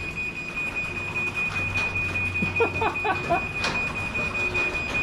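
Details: Chamberlain garage door opener closing after a MyQ app command: steady high warning tone over a low motor hum as the door runs; normal closing.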